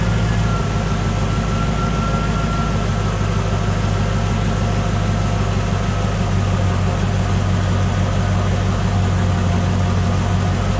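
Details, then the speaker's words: 1986 Cadillac Cimarron 2.8L V6, arrived by tow, before its major tune-up: a loud low idle with an uneven, stumbling beat instead of a smooth hum. Misfire because replacement plug wires go to the wrong distributor cap terminals. "but they ain't going to the right plugs into the distributor cap because that's why it's misfiring and stuff"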